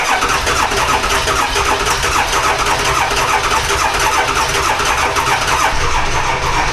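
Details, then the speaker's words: Dually diesel truck, cold start at 18°F: laboured, uneven cranking that drags for seven seconds without firing. The starter is failing, only about three glow plugs work, and the batteries are dead. "Well, there's three things this girl badly needs. Starter is on its way out. About three of the glow plugs work. And her batteries are shut."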